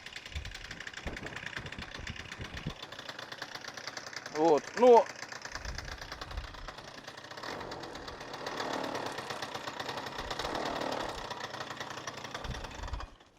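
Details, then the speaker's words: Freshly rebuilt Suzuki Address 110 scooter (Japanese parts) developed a rattle on a ride; it starts first pull, smokes from generous oil, and a quiet idle carries an irregular light knock from the generator side: the flywheel working loose. "Поэтому давайте заведем, посмотрим, как это звучит. Завелся с одного раза, кстати, с первого. Масло владелец не жалел, вот видите, дымит хорошо. И вот где-то со стороны непосредственно магнита вот такой у нас звук."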